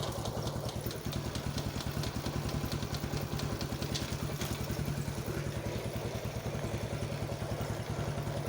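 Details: Yamaha X1 110 carburetted motorcycle after rebore, one-way clutch and clutch rebuild, idling: light uneven metallic clatter over the thump when pressing into gear with idle set higher, clutch housing rubbing; gone when idle lowered.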